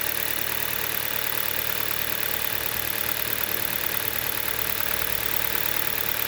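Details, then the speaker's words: 2011 Hyundai Solaris, G4FC engine, 166k km, cold start at 15°C outside, heard under the bonnet; timing chain (upgraded), phaser and valve replaced. Runs evenly at raised warm-up idle with a steady hum, no knock audible, perhaps masked by the higher revs. "так работает на холодную особо не слышно никакого стука Может потому что обороты повышенные прогревочные"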